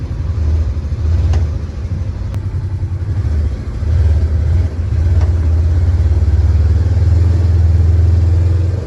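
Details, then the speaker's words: Polaris Ranger 900XP side-by-side after repair, driven in high gear. Steady low engine drone that rises and falls with throttle, with no rattle or tapping; it sounds much better and runs healthy. "sounds good it sounds way better let's see what the temp's at"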